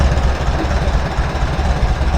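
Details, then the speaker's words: Farmall B tractor idling after replacing a weak ignition coil; low, even putter with a steady beat and no knocks or misses, good oil pressure. Running smoothly. "Wow, not bad, not bad. Listen to that thing purr."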